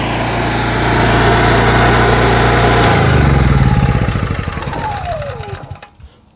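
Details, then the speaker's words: Generator small engine after oil leak and no-start repair, run outside about 25 minutes, then shut off; steady even drone winding down smoothly to a stop. Normal running, though a leak is found afterward. "it's been running for about 25 minutes now and so far looks pretty good"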